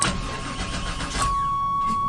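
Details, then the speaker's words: 1996 Chevy Tahoe, bought unseen, with bad fuel, starting fluid sprayed: starter cranks in quick even pulses and the engine almost catches but never runs, warning chime behind; fuel delivery suspected. "it's wanting to but it's not wanting to it's not happy it's far from Happy"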